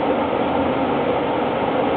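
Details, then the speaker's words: Furnace draft inducer ECM motor spinning up: harsh continuous grinding roar with faint whine; intake checked clear, owner suspects motor bearings failing. "When this thing spins up the speed, you'll hear them down here just whining and grinding away."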